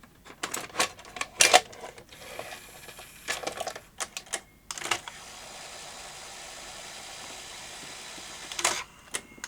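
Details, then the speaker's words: Sanyo VTC-M40 Beta HiFi video recorder on an isolation transformer, being checked after a fault: clicks and short whirs as the transport loads, then steady motor hum; mechanism runs, just a little noisy. "runs. Little noisy, but that's working."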